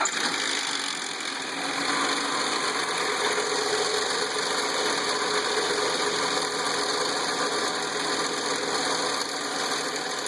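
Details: Nissan VQ35DE V6 at 114k miles idling with a busy metallic rattle after a small rattle suddenly worsened; timing chain suspected, not confirmed.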